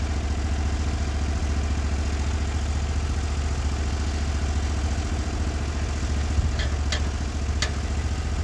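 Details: Norwood HD36v2 bandsaw mill with new roller guides replacing the ceramics, slabbing big black oak in 1.5-inch cuts: steady low engine drone under load, no bogging or laboring, band cutting smoothly; band sounds happy, normal cut.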